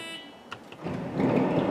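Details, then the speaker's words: 1999 Honda Odyssey with a parasitic battery drain: rear power sliding door hums, latches mechanically but won't pull in electronically, then gives a short warning beep; latch fault. "this root latch is not functioning as it should comes open it will mechanically latch however it will not electronically release yeah and then it gives us a warning beats"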